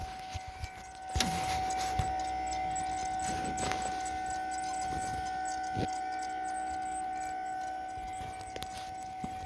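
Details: Sabaj K-1 ECO motorized TV lift, a few months old and lightly used, lowering: a steady high squeal under the motor with irregular ticks and clicks; the lift has become very slow going down and is faulty, cause not confirmed.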